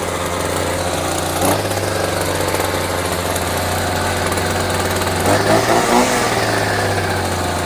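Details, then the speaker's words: Champion 23C string trimmer started on fuel dribbled into the engine: the small two-stroke idles steadily for several seconds and stumbles briefly near the end but keeps running. It randomly dies and won't restart, apparently from running out of the poured fuel. "does it cut well probably and then it dies. That is bizarre. Just randomly dies and then then it won't start again."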